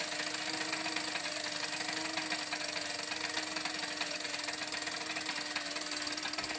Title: Hammer 1 whirring clicking sound